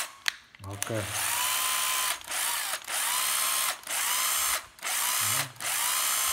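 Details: Makita 12V drill-driver, bare tool: several short trigger pulls, each spinning up to a clean, even motor whine with no grinding or rattle; very strong, healthy.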